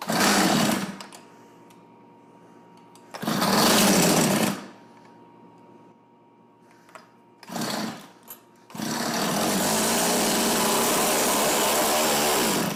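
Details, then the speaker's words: Tecumseh TC300 two-stroke Eskimo ice auger after new piston rings, compression just under 90, idle bumped up: short buzzy bursts that catch and die, then one steady high run; won't idle with choke off, possibly carb tuning. "yeah it doesn't like with the choke all the way off it could be a carb tuning issue though too right"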